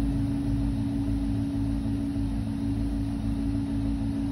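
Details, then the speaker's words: Range Rover/Discovery 3-4 air suspension compressor: steady, even motor drone never changing, running continuously without building much pressure; air reservoir suspected rotten and leaking, plus a possible leak heard. "it'll be leaking which makes the pump work twice as hard and burns around and basically the pump's trying to fill the res one it'll have a hole in it so it's always going to leave"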